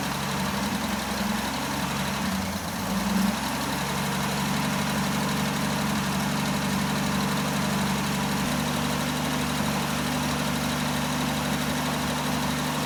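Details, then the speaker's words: Jeep J10 with rebuilt carburetor, about two gallons of fuel, after first start: steady even idle, smooth low rumble, no knocks or misses, oil pressure and charging voltage present; some oil burning off, suspected valve cover gasket leak. "Um but you know, it's running. got old pressure. It's actually building some voltage, which is good."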